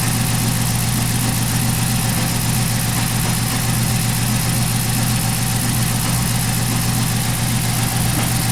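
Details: 2011 Chrysler 300 after cam and head work, P0300 misfire, not ignition, oxygen sensors still in open loop: shaky rough idle with irregular stumble in the exhaust pulse; misfire linked to faulty oxygen sensors.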